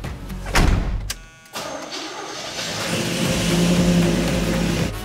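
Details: 1981 Chevrolet Suburban 350 small block, first start after new AFR heads and camshaft: brief crank, clean catch, idle settling and building evenly with no knocks or misfires; normal start and idle.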